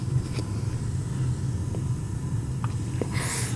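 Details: Gas boiler no-heat call on a large building, circulator pump checked by ear: steady low hum running smoothly under a few light taps; circulator spinning evenly and system slowly coming back warm; normal circulator.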